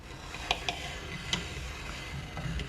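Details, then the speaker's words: Avon Les Paul lawsuit guitar during a fret levelling check: sharp isolated clicks as a straight edge rocks across the frets, a few in under three seconds, showing an uneven high fret; it should be smooth and silent. "that's when this straight edge is hitting an uneven fret that's awesome this there shouldn't be any clicking there shouldn't be any clicking or clacking it should be smooth"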